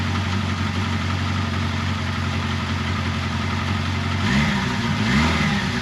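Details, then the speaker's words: 1979 Kawasaki KZ1000 Shaft first start after major service (valve clearance check, carburetor cleaning, intake boot reseal, head bolt re-torque), fuel primed: even four-cylinder idle with a quick throttle blip, no ticking or knocking, no bad noises, healthy normal idle. "all right as you can hear no bad noises everything sounded good"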